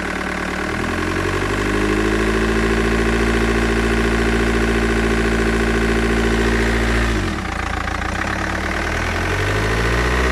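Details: Mercedes W211 E200 CDI OM646 diesel idling with a busy, clattering rattle over a steady hum. Air filter box and hoses reportedly OK; the owner suspects an intake issue, but the cause is unknown.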